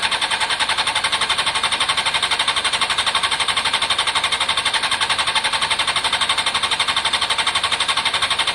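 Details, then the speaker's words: Honda CBR600 F4i fuel-injected, non-runner crash-damaged seven or eight years ago, after injector cleaning with fresh fuel; quick even starter cranking, about four beats a second, no catch at all; crank no start, fuel pump suspected, possibly in tank, not heard priming. "um i need to find out what the fuel pump system is on this um it's possibly in the tank i don't hear it prime or anything"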